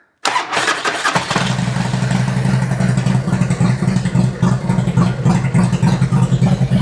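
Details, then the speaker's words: 2003 Harley Twin Cam after rebuilt cam chest (Fueling OE+ oil pump and cam plate), cams re-timed after being off: catches right away, settles into a steady even loping twin idle with no cam-side knocking or ticking; repair fixed it. "It already sounds better. Got it! I'm all excited that I fixed my own F up."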